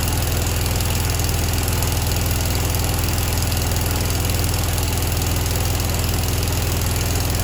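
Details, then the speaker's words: Grasshopper 727KW mower, Kawasaki FD750D horizontal-shaft twin: lumpy, lopsided low thudding idle, no change when the right plug wire is pulled; running on one cylinder, coil and plug tested good, one side of the carburetor gummed up. "so when we started this up and removed the um spark plug wire there's no change in operation it's running the same with this plugged in or not plugged in"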